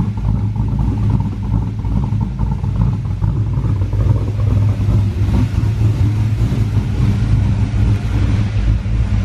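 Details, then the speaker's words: Car called Onyx, back running after a repair with its tune checked, coolant at 121 degrees so not fully cold. Cold revs: a loud, lumpy V8 rumble swelling through quick blips and dropping back cleanly, with no misses or knocks. Healthy, snappy throttle response. "got to give it a few cold revs 121 degree cooling temp so it's really it's not that cold i think snappy pretty snappy"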